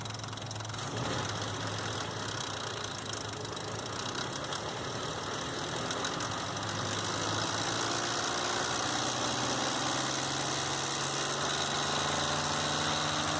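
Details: 2005 Nissan Xterra VQ40DE petrol V6 at idle: fast, fairly even metallic tapping rattle, slack timing chain slapping; fixed by replacing timing chains, guides and all three tensioners.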